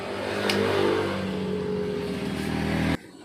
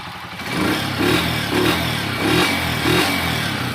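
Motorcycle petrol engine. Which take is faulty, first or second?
first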